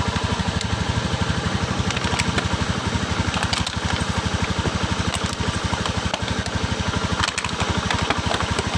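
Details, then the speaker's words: Honda Beat PGM-FI scooter sprayed with water at the spark plug: fast single-cylinder idle with irregular crackling snaps, hard starting; wet plug cap arcing causes misfire. "ya tuh ya kita semprot biar aku sih ternyata ada cenderung ada bunyi kretek-kretek the ia bahkan motor hidupnya susah tuh"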